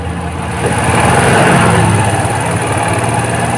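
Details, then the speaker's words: Suzuki Shogun 125 at low speed, charging voltage reading normal at about 13–14 V. Uneven beat that surges and stumbles rather than holding steady, a hesitation rather than a bog: carburetor hesitation at low speed. "tuh ya teman-teman suaranya ngayun ya jadi sendat-sendat gitu teman-teman"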